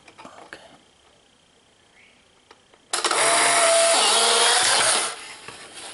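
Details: Polaroid 600 series camera taking a photo after the green LED shows the flash is charged: a quiet click, then about two seconds of smooth, high, even whirring that stops cleanly as the print ejects; normal film ejection motor.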